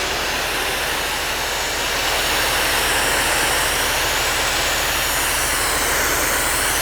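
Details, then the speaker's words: Jetwave Executive Silent trailer pressure washer, 42 HP liquid-cooled Kohler diesel direct-coupled to the pump at 1500 rpm in a soundproof cabinet, under load from a fan lance; low steady diesel drone under loud spray hiss, not labouring: normal running under load. "so you can hear that the unit itself in the background is not actually making any more running any harder make any more noise it's mainly the noise off of the high pressure accessory"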